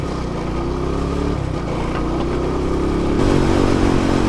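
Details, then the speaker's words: 2009 Yamaha LC135 (Lexur 125cc) unused for three years, pulling away with the engine note rising; a loud tinny ringing clatter from the rear under acceleration, as if something is about to fall off. Metallic rattle. "holy [ __ ] that tingling sound that's coming from the rear is really loud something is literally about to fall off"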